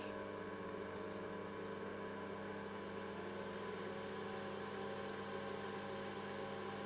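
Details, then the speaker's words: Cifer 2486 terminal's 8-inch external floppy drive, unused since 1982: quiet, steady low hum with no screaming or rattle after the rear fan's mounting screws were loosened slightly, since tightening them made it scream. "There you go. No fan noise whatsoever. Not even the rattling noise that we were getting before. All calm, cool and collected."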